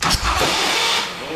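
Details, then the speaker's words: Custom hand-built motorcycle with big-inch S&S Harley-Davidson Evolution-style V-twin, revived after sitting about 20 years, choke on, remote fuel bottle: starter cranks hard, engine almost catches, then cranking sags and fades once the starter warms; owner suspects the starter motor is done. "yeah see soon as the starter gets warm it stops working"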